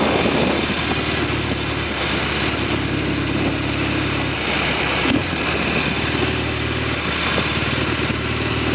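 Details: Norton Commando 750 road test at steady speed with two Amal float bowls fitted, checking the earlier rear wheel clonk: twin pulls smoothly, no clunks from the rear wheel, issue appears fixed.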